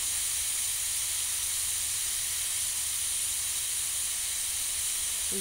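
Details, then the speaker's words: Afghan Kazan pressure cooker on a wood campfire: valve nozzle lifted to let the steam out; loud, continuous high hiss at even strength; normal manual pressure release. "are just releasing it both the nozzle just lifting so that they uh let the air out steam out"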